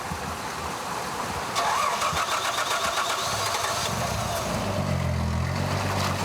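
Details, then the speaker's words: Car that stalled and will not start, with a recurring fuel filter problem; gas poured into the carburetor to test. Long ragged cranking with a hiss, then a faint, uneven low idle finally catches: a hard start. Poor, diluted gasoline is suspected. "Xe của anh ấy bị chết máy, không khởi động được."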